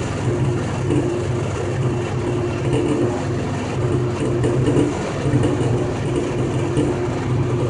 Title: Jeep Wrangler making knocking noise